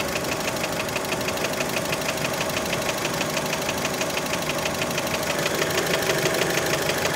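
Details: Warm Fiat Panda engine at idle with a sharp, steady metallic tapping about three times a second over the hum; many suspect piston skirt slap, source unconfirmed.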